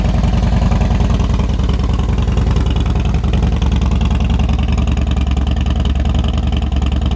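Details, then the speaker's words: Harley Dyna Wide Glide, first run after reassembly with the tin set and tank installed. Loud, steady loping V-twin idle with an even beat, no misses or knocks; healthy running engine. "Alright, I don't know about you, but this thing looks good, sounds good, it's fully back together."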